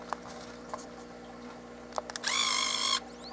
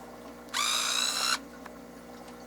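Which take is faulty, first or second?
first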